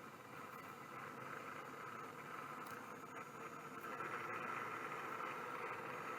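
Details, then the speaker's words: Seagate ST2502N SCSI hard drive, voice-coil type, powered up: steady airy hiss with a thin whine growing slightly louder as it spins; spindle bearings sound worn and dry, oiling considered. "will it clunk if I turn it off kind of sounds like it those bearings are shot though maybe maybe I can oil them a little bit"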